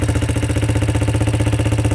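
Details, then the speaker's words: Non-running quad bought for resale, idling; previous owner's bad exhaust welding left holes and leftover welding wire; fast even puffing tick on the exhaust note: exhaust leak. "Okay, so there's a hole in the exhaust. That's what it is."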